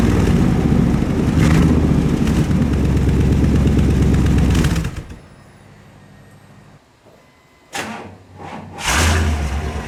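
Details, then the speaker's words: 1998 Chevrolet C/K 1500 (GMT400) pickup after installing a new aftermarket exhaust system kit, clamped rather than welded, with the O2 sensor refitted: a smooth, even low rumble before shutoff. It sounds much better, a clean exhaust note with no leaks or rattles. "unbelievable how much better that sounds unbelievable sounds so much better"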